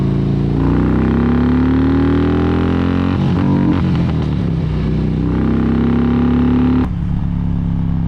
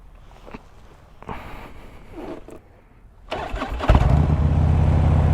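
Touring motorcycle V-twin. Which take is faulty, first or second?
first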